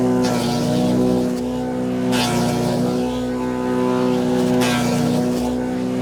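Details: Wood chipper chipping branches after a broken ear was welded back on; steady engine hum with occasional surges as branches feed through, holding speed. Normal operation under load.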